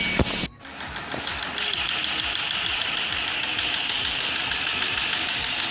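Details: BMW E46 N42/N46, first start after repairing oily plug wells, burnt coils and a loose timing chain: light, uneven ticking at about 3/s over a hissy idle; dull noise, probably needing Valvetronic adaptation.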